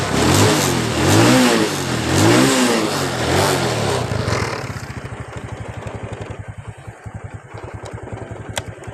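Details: Honda Wave 125 R motorcycle with a weak battery; small single blips through a few revs, then settles into a steady, even idle thump, engine sounds healthy.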